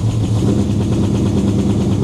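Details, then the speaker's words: V8 with Summit Racing distributor being re-timed; loping, slightly uneven idle with lazy pulses, "does not sound happy"; rough idle from retarded ignition timing. "Does not sound happy, but it's okay."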